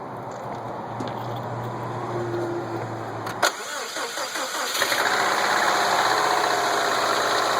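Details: 2007 Subaru Impreza WRX STI with Wiseco forged pistons, ACL race bearings and ARP head studs, starting and idling: steady tapping about four per second over the engine note; owner suspects rod knock, unconfirmed.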